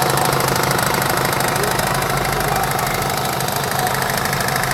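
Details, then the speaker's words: 2005 Chevrolet Tahoe with a new power steering pump, new valve and new steering gear, hydroboost bypassed: a rapid, regular knock at about 220 a minute when steering or braking. It grows louder as fluid warms and disappears on throttle; pump knock under load. "видно как вибрирует план кто кого давления еще раз да стук отчетливо слышно"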